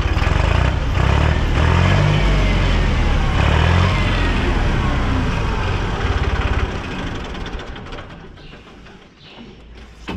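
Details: Massey Ferguson 266 tractor diesel after full rebuild, glow-plug preheat used: fires straight away and settles into a steady, even chug with no knocks or misses; healthy cold start.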